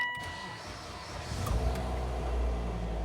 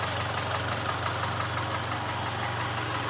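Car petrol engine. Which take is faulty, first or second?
second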